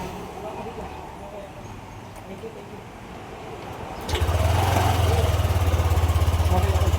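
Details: Yamaha NMAX 155 V2 that cranked but would not start, after an ignition coil, new spark plug cap and plug were fitted: the engine catches and settles into a steady, even putter at about 200 beats a minute, running cleanly.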